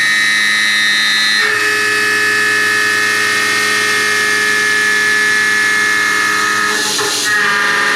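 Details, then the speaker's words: Roughing a pocket with a 1/2 in high-feed cutter on an extension (long overhang), 0.050 in depth cuts with a large stepover: a loud, steady high-pitched squeal with a ringing undertone. End mill chatter, meaning vibration. "I'm doing this on purpose for roughing pass you're going to get some squealing sometimes but remember squealing means vibration and not only is that going to give you a much rougher finish it's also going to make it harder to hold tolerances"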